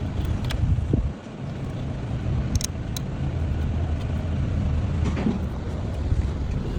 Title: No Crank No Start || Car Start With A Single Wire #shorts